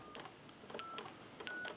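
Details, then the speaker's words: Converted wood wall crank telephone, final checkout after repair, keypad dialing watched on an analyzer: short paired DTMF beeps in quick succession, clean and evenly pitched, each key distinct; keypad dials out properly. "Now that we know that our keypad is dialing out, we're able to use the flash and redial functions."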